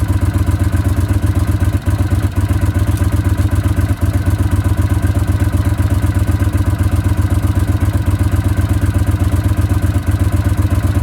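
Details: Honda CX500 twin, a cafe racer project bike that runs, last MOT three years ago, no rust, battery charging at 14.2 V: even, steady low thrum at idle with a quick regular beat, no knocks or rattles.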